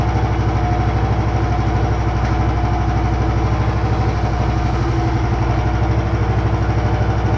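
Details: Home-built machine's motor and poly-V belt drive after re-centring the pulleys, with the motor shifted about 5 mm back: steady low thumping at about three beats per second, even throughout, no squeal or slap. Normal running.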